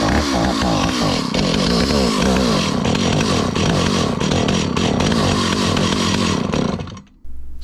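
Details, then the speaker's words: 43-year-old Stihl 028 Wood Boss chainsaw after carburetor work on a gummed-up carb: idle speed turned up to keep it running; rough, uneven two-stroke buzz with wandering speed that sags and dies, won't hold idle. "turning up the idle speed to try to keep it running"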